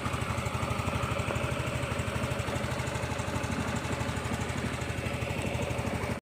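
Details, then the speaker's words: Yamaha Mio Soul i 125S scooter, about four years old, after engine overhaul for ticking noise on morning start, idles with an even steady putter and no knocks; now quiet, healthy idle. "testing natin testing natin oh yan good good condition na siya ayan wala na ingay niya timik na"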